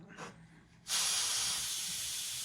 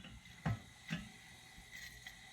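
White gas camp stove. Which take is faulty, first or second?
second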